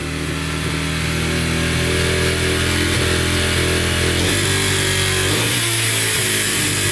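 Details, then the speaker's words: Yamaha TTR125 dirt bike after bottom and top end rebuild: small single revs up and drops back cleanly with steady firing, no ticking or knocking, no oil leaks, ridden briefly in first gear; healthy engine. "all right runs and sounds good no ticking sounds really good and uh drove it in first gear for a little bit and everything seems pretty good no leaking at all so that's good"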